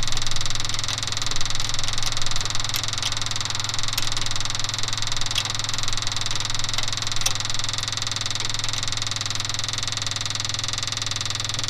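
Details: Ford F250 6.9 IDI diesel after injection pump replacement, bleeding air with injector lines loosely snugged: uneven lumpy idle, irregular knocks and stumbles as a few cylinders catch; air still in lines.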